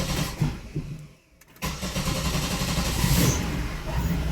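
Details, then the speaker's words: Engine with a start-stall issue that dies without throttle, throttle body ruled out: lumpy, uneven running after a stumble. MAF reading stuck at 1.34 g/s and MAP not moving; a bad mass airflow sensor is suspected. "And look at it. It's stuck. 1.34. Is there a possibility we got a bad mass airflow or what?"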